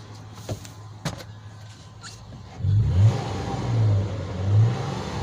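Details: 2007 Toyota FJ Cruiser, repaired crank-no-start (ECU replaced): a few quick clicks, then engine revs up and settles three times, smooth and even with no misses or knocks; healthy.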